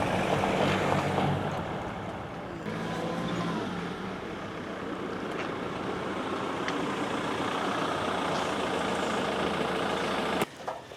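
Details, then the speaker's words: Land Rover Defender diesel after a turbo failure with a bang and whooshing, with a new turbo fitted, pulling away under light load with the bonnet off: a steady, even note with no bang or whoosh; runs normally and sounds better. "I like that I like it that sounds a lot better and we're off oh brilliant"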